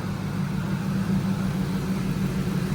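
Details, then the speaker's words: Ford SVT Lightning supercharged V8 after a ported blower install and vacuum line fixes, idling about five minutes: an even, steady low rumble with no leaks, no blower grinding, and the intercooler pump flowing. "oh yeah I don't hear nothing crazy no leaks uh the intercooler pump is Flowing still got coolant in here there's no noise coming from the blower"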